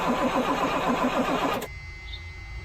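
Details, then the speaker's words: Freightliner FL70 with Caterpillar engine, long-sitting, key switched on and cranked: starter turns slowly in laboured pulses for about a second and a half, then quits without catching; solenoid clicking heard. Battery or connections suspected. "Well, sounds like the battery. Something's done something to the battery. Connections, something."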